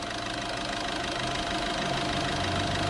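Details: Diesel idling after repair, with the timing chain and a non-original pump replaced: even, steady clatter with no rattle or knock, healthy idle.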